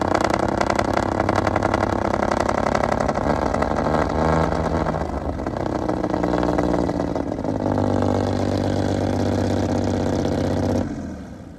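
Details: Restored 1935 Stancraft, oldest known example, inboard engine run on land via motor flush: loud, deep, steady roar with even firing that swells when revved and settles back; normal healthy running.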